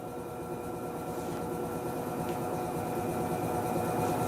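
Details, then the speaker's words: Electrolux 6 kg LTE06 washing machine at spin, worst on first spin: rising hum with a rough grinding pulse about four times a second. "tem tem hora que ela faz um barulho terrível esse barulho só que acentuado assim muito bom G1 e principalmente na hora que ela vai centrifugar pela primeira vez"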